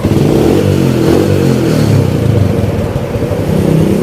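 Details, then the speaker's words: Yamaha Spark 135 carburetted, manual-clutch motorcycle with original engine, after a major service, valve adjustment and a carb flooding fix: it revs and settles smoothly and quietly with no knocks or ticks, and the exhaust is slightly loud. "ลองฟังเสียงเครื่องกันครับเครื่องดีนะครับแต่ว่ามีเสียงท่อนิดหน่อยท่อดังนิดหน่อยครับเครื่องเงียบใช้ได้ครับ"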